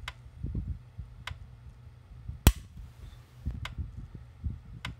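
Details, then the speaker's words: Repaired early-to-mid-1990s PEL 609 110-120V electric fence charger on the reduced-power terminal. Sharp snapping pulses about every 1.2 seconds throw a huge spark, nearly as strong as full power: a normal, healthy charger after repair. "the thing throws a huge spark. The video doesn't do this justice. See that reduced power, see how strong it is."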